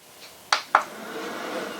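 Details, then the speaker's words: Jackery Explorer 500 power station at 97% charge, no load, AC output switched on: two crisp button and relay clicks, then a soft fan whir rising quietly as the thermostatically controlled fan comes on and right back off; normal. "and you'll hear the fan come on and right back off. In the earlier models of this, the fan would come on and stay on all the time in AC power mode. However, now the fan is thermostatically controlled and it only comes on when it needs to."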